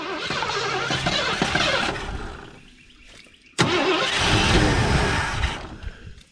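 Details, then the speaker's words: 1984 Ford Thunderbird 5.0 V8, sitting for years, fed poured-in primer fuel; fires and runs smoothly for a few seconds, fades and dies, catches again; runs only while poured fuel lasts. "she runs smooth when it runs go she's got horrible gas mileage"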